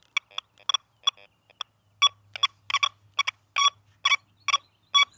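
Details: XP Deus II at factory default settings over a small iron ring and spade shovel: choppy, clipped beeps near 1 kHz in uneven bursts, about two a second, not one clean tone; a forced false signal from iron.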